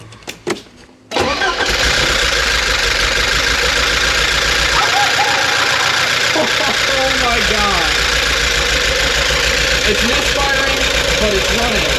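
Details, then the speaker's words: Porsche 944 on its first start of the restoration, after a new crankshaft position sensor: it cranks, catches and runs at a noisy fast idle with an uneven, stumbling beat. A cylinder is missing from a sticking fuel injector, later freed by tapping. "Oh my god. It's It's a noisy bastard, but it's running, you guys. Oh my god. It's misfiring, but it's running."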